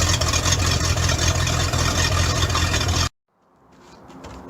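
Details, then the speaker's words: Bayliner boat engine started for winterizing after a dead battery and a suspected failing starter: steady, even low rumble at idle with no knocks or misses until shut off; running healthy. "Alright, so we had a dead battery, and it sounds like the starter's going out, but we finally got it running. Sounds healthy too."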